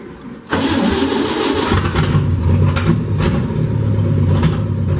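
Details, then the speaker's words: 1965 Chevy truck, third cold start with the non-original muffler removed (open exhaust), before carburetor rebuild, in neutral: starter whirr, then it fires and runs loud and raspy with throttle blips; sounds good, a healthy cold start. "give it a little bit of gas sounds good actually"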